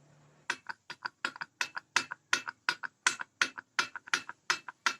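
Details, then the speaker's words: Yamaha RX King engine block, piston rocked by finger in bore: sharp metallic clicks in quick pairs; cylinder liner badly worn though upper wall smooth, block needs oversize rather than just a piston kit. "Kemudian jika kita tes dengan suara, kita ungkit piston dengan jari kita, akan terdengar suara"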